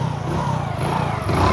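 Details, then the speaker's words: Hero HF Deluxe single-cylinder motorcycle after fixing a noisy timing chain, tappets checked fine: short putter with a light rev and the earlier clicking gone; clean and even, normal running. "याद है वो click करने की आवाज कैसे आ रही थी? अब हमारी समस्या पूरी तरह से हल हो गई है।"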